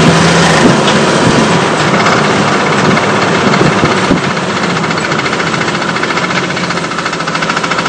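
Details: 1998 Cherokee XJ at steady idle with a rapid, fairly even clicking of about three per second, and smoke coming out; the cause is unknown.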